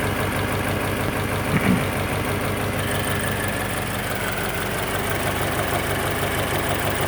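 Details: Subaru BRZ petrol engine at idle with an uneven, throbbing exhaust note and a faint knock-like pulse underneath; bad exhaust noise, cause suspected, not confirmed.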